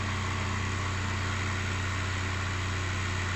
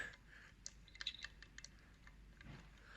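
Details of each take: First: 1.9 TDI PD105 (BKC) in a Mk5 Golf after turbo replacement and EGR valve/cooler delete, with the boost pipe left off. Even, steady diesel clatter with no leaks; a healthy idle. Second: 1.9 TDI PD105 turbo removed from a VW-group engine, rocked by hand with no engine running: a few light dry clicks from excessive shaft play on the intake side while the exhaust side is solid; worn turbo, being replaced.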